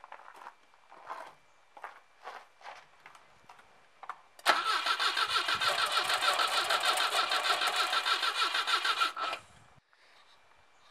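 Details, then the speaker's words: 1967 Volvo 122 Amazon with B18 engine: several short starter bursts then about five seconds of even cranking near three turns per second, no firing; cranks but won't start, owner suspects no fuel reaching engine or out of gas. "I don't think it's getting gas right now so it might take a little while we'll see"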